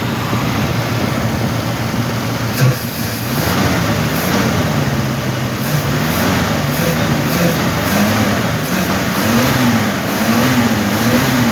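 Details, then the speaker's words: 1969 Ford Mustang Mach 1 V8 started for the first time in months: deep rumble through several blips with a slight uneven lope at the low end, a small bump needing carburetor tuning. "got a little bump to it she's definitely gonna need a little tuning we ain't gonna take much I'll get her tuned up"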